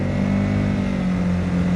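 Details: Honda GX50 50cc powerhead outboard on a Nucanoe Pursuit kayak, part throttle around 4.1: steady, even low drone, no knocks, misses or rattles; cruising smoothly and quietly.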